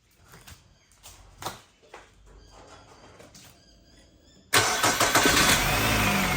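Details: Nissan X-Trail T30 QR25 engine with former hard starting and P0335 crank sensor code, after timing chain reinstallation: catches at once and settles into steady, even running with no knocking or rattle. Normal start and idle.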